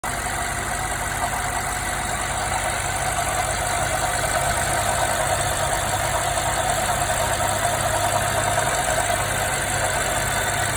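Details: 2016 BMW 550i with 58,000 miles, drives perfectly, no codes: steady idle with a light, fairly quick ticking knock over the engine hum; knock present, source unclear.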